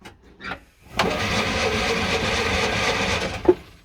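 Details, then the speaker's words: Classic Fiat 500 after electrical fixes, choke on, only quick-start spray and no real fuel: about two and a half seconds of steady cranking whirr with no firing or catch. It turns over but won't start, starved of fuel. "okay it spun over it has tried to catch I think in order to get it to run properly we're going to have to actually get some some propit fuel in there"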